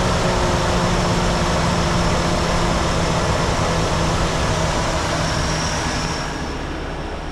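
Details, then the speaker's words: Ford Ranger 2.3 after full exhaust replacement from the manifold back (cat, muffler, mid pipe and lengthened tailpipe), first start: an even, settled idle with a smooth exhaust note and no ticking or leaks, much quieter than before. "I don't hear any ticking noises, any leaks, anything like that. It is much quieter than it was."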